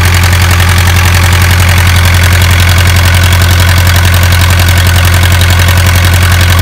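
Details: Isuzu 4BA1 85 hp diesel coupled directly to a 5-inch single-impeller pump irrigating a 20-rai durian orchard, pushing water about 800 m uphill; steady, even beat about 220 per minute, deep constant drone, no knocks or misses; normal healthy running under load.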